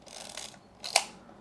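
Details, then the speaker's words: Yashica Electro 35 GSN rangefinder (1973 electronics) during restoration, pointed at a light source so the auto-exposure gives a fast shutter: one crisp, very short snap with no drag; the shutter fires fast and cleanly, as it should. "But if we're pointing at a light source, no light, which means it's going to be a fast shutter. You can hear it here. Fast shutter."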